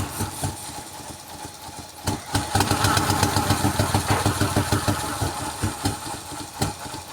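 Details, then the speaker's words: 2003 Mercedes-Benz W211 E240 V6, just after a hard start: lumpy, uneven idle with irregular stumbles and surges; rough idle with random multiple-cylinder misfire code, exact cause not pinned down. "All right, this is a Mercedes-Benz W211 chassis having a rough idling and sort of million problems it got from last 3 years."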